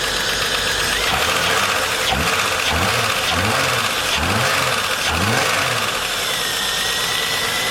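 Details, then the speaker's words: VS Commodore first start after head gasket replacement, no coolant in yet, watching oil pressure: loud engine with light rapid tapping as it revs up and down; owner hopes the noise will quieten, cause unconfirmed. "have a listen to the racket that's going to come out of her okay [Music] well hopefully that noise will quieten"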